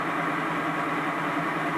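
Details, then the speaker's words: BMW EV conversion on the first run of the electric motor and gearbox with a new adapter plate and coupler replacing the jaw coupler, run briefly at low speed with no gearbox oil: a smooth, constant hum with no knock or rattle. "probably hear the gearbox there's there's no oil in it even at this stage so it's no harms to run it briefly at low speed like this"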